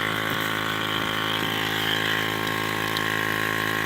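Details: Ford 6.0 Powerstroke diesel at idle: a steady, harsh buzz hums evenly under the idle, present since day one and showing no codes; some unit in the engine bay is vibrating, cause unknown.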